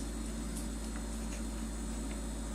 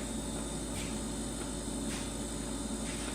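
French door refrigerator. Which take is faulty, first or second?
first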